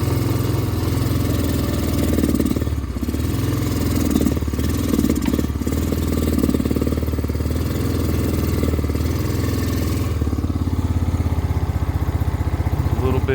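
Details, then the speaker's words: Honda Rancher 350 ATV starting up an embankment in second gear: low, labouring note sagging and stumbling instead of revving; angle sensor, CDI and vacuum line fixes failed, suspected carburetor jet. "Starting out in second gear, see, it's not wanting to"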